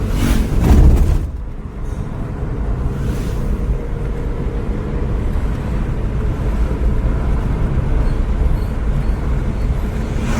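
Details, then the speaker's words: Maruti Swift Dzire VXI petrol on road trial after clearing the check light with a scanner: steady low rumble with road noise, no misfire, knock or surge, good performance; normal running. "ಈಗ ಗಾಡಿ trail ಹೊಡಿತಾ ಇದೀವಿ ಗಾಡಿ super ಆಗಿದೆ ಒಳ್ಳೆ performance ತೋರಿಸ್ತಾ ಇದೆ ಗಾಡಿ"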